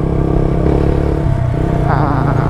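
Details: Yamaha Vixion riding after the squeak was fixed: steady single-cylinder drone with slight rev change, no squeak; quiet, healthy ride.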